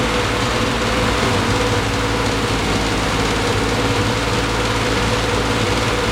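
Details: 1973 Triumph TR6 restoration, first start in 2 years: steady but uneven running with coarse low rumble; rough running, owner thinks ignition too far advanced, also hears clicking.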